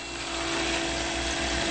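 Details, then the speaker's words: 1978 restoration with 3B diesel conversion, ignition on: faint steady hum with constant mid-pitched whine under background hiss, no rattle or surging; newly mounted always-on intercooler cooling pump runs fine. "so um the wiring has worked very successful uh it runs smoothly and the other thing that we're noting is that when we turn it on you can slightly hear the pump"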